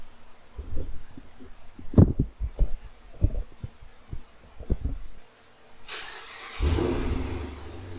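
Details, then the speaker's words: 2016 Dodge Challenger R/T 5.7 Hemi V8 with ported throttle body, Airaid intake and Mopar cat-back, before installing shorty headers: a few clicks, then the engine catches with a burst and settles into a deep steady rumble; healthy start and idle. "Before we get too high up in the air, let's fire this up and see what it sounds like"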